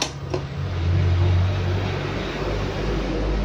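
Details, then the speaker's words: Yamaha fuel-injected motorcycle, key on, microphone held close to the fuel pump: a low steady hum for about a second then fades, normal fuel pump priming while the tester's LED lights with the pump ground signal. "Kontak on, full pump dengung. Terdengar nggak? Tak dekatkan ya. Biar dengar full pumpnya, oke?"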